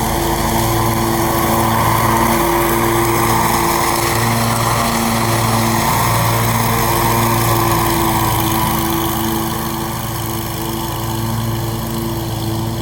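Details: Scag mower with a brand-new engine, blade belt reinstalled to test the blades: steady drone with a smooth, regular firing pulse, no misses or knocks; normal running.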